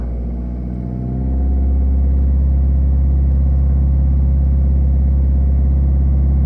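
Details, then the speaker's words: Citroën C3 Picasso with an injection problem and no fault codes, read with a Launch X431 scanner: engine revs climb then hold with an uneven, lumpy beat; live data shows a large correction on cylinder 2, a cylinder 2 misfire. "ça y est là ça tourne pas rond donc je vois le cylindre 2 il y a une grosse correction"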